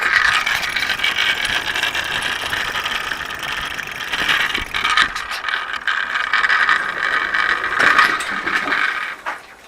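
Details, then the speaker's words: Solar bike on a test ride after a drivetrain rebuild with new chain and rear wheel, chain still unoiled: irregular light metallic pings and rattles that come and go with wheel speed, like metal dragging. The rider suspects a loose screw; not confirmed. "strange sound the strange metal pinging sound what's that sound it sounds like metal dragging on the ground"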